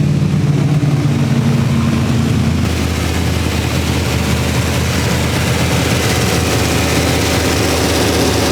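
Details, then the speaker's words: Poor man's LS3 V8 swapped into a BMW E46 with stock manifolds, first start-up: deep, even idle with a lumpy low burble, no knocks or ticks, quieter than expected; engine runs smoothly and sounds healthy. "just sound so happy yeah i mean i'm incredibly happy and excited that it's running sounds healthy sounds happy"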